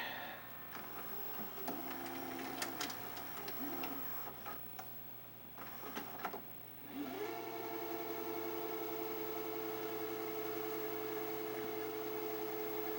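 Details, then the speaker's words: 1985 Magnavox VR8530SL01 (rebadged Panasonic) VHS VCR: motor whir spools up and settles to a steady, even pitch with no wavering or slipping; normal rewind cycle. "So that's the rewind cycle."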